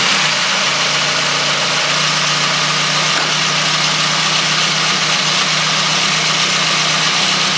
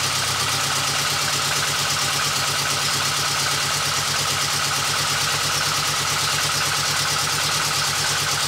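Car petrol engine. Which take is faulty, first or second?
second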